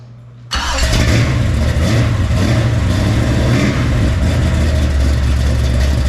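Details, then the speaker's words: Freshly built 454 big-block Chevy for El Camino, hydraulic roller cam, 10.2:1 compression, first fire-up: loud deep slightly lumpy idle, crisp but needs carb tuning; carburettor squirter spray pattern looks abnormal. "that sounds crisp definitely needs some carb tuning"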